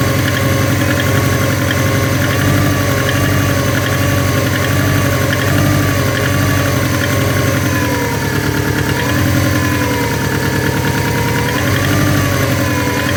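A steady idle carries a regular low knock that keeps time with engine speed, pointing to an internal knock of unknown cause.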